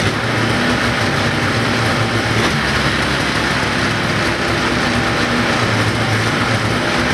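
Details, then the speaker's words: 1980 Ski-doo Everest 500 fan-cooled two-stroke, first start on mixed-gas spray after doubtful compression reading: steady, even buzz at constant speed with no knocks or misses; sounds healthy. "i think sounds pretty good actually i mean it sounds healthy"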